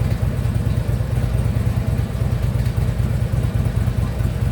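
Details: Harley Ultra Limited V-twin at idle after a new compensator was fitted. A loose, uneven knock comes about every couple of seconds over the lumpy idle, not from the compensator side, audible from a distance: unidentified lower-end knock.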